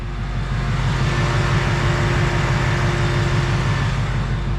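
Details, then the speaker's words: 2020 Ford Mustang GT V8 with about 2,200 miles. On a normal warm start the starter engages normally and it settles into a smooth, deep burble at steady idle, with no engine tick. "So let me show you guys what a warm start is supposed to sound like. See how the starter engaged normally and it started up completely normal."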